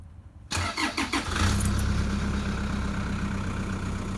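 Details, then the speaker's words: 4x4 diesel on an Optima 34R battery: three or four brisk, strong crank beats, then it catches straight away and idles steadily; healthy starter crank. "You know, it might not crank as hard as it did when it was brand new, but I've had people I know comment, they compare, they've got their 1 or 2 year old battery and it kind of goes, it's a bit, it just doesn't, and it's fine, it'll still last years, but it doesn't sound exciting."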